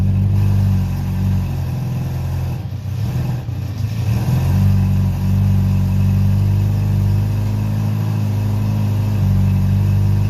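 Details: Honda CB700SC Nighthawk four-cylinder after carb cleaning (stock 35 pilot/115 main jets, air screw 2 turns out), old gas drained, non-ethanol fuel, 4-into-1 exhaust, no airbox, throttle cables disconnected: deep steady burble with brief blips, settles to even idle; runs cleanly.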